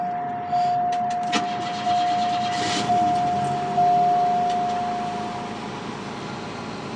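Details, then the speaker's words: Cold start of an all-original 43,000-mile Cadillac Cimarron with freshly changed oil: short crank, quick catch, then smooth fast idle around 2100 rpm that slowly settles as it warms, with a warning chime; good oil pressure, normal cold start. "good oil pressure everything runs perfectly it idles high for a bit"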